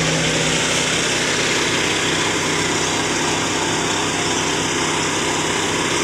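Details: Engine running with a steady, harsh, very loud, raspy exhaust roar after the mechanic has arrived to do the repair; cause not confirmed.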